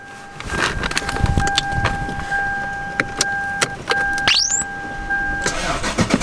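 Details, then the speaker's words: Big V8 car with dead battery started using a jump box: short burst of starter cranking, then the engine catches and settles into a running idle; enough cranking power, starts fine. "we got power yeah there we go oh man what a lifesaver"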